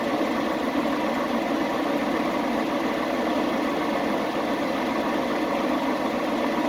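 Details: Chevy Express 3500 after fixing its misfire: smooth, even idle hum with no stumble, skip or knock over several seconds; now idling cleanly on all cylinders.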